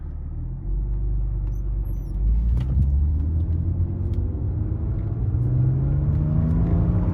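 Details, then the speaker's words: 1998 BMW E36 M3, S52 straight-six with 24 lb injectors and Turner tune, after cam sensor replacement fixed hot no-start: smooth, even note rising steadily as it pulls through the revs, no misses or knocks; normal acceleration. "pulls really nice for an s52 a 24 pound turner tune"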